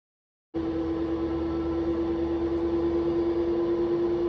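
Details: Washing machine after full disassembly and replacement of worn drum bearings that caused a loud spin noise: steady, smooth mid-pitch hum during spin with no rumble or grinding; now runs like new.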